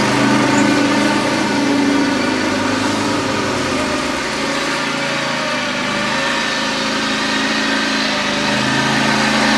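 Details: John Deere X540 mower twin after fixing a no-spark no-start by replacing two failed ignition coils: smooth, steady idle with an even low pulse and no misses or knocks; running normally.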